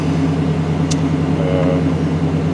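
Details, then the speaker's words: '88–'98 Chevy/GMC truck, 350 small-block V8, 106,000 miles, after new spark plugs, wires, cap and rotor, 45 psi oil pressure, no check engine light; deep steady idle with no stumbles or misses. Normal idle. "Sounds pretty good. Idle's pretty good, so I would say that did a pretty good job."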